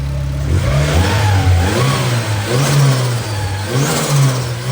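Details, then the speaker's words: Freshly built turbo B18 in a 4-door Honda Civic sleeper, first start with new tune, custom intercooler and exhaust: quick rev blips with a light whistle climbing as the turbo spools, engine revving cleanly; normal revving with turbo spool. "it sounds decent [Music] I'm excited I'm really excited to drive this thing cuz you guys heard that turbo just spooling up"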